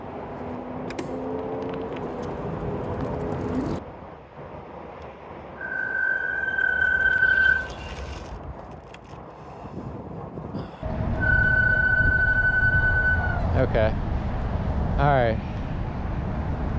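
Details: Motorcycle disc brakes squeal loudly and steadily each time they are applied on a cold day, over wind and tire noise, before applying Squeeealll Out anti-squeal paste; the noise persisted after cleaning the brakes.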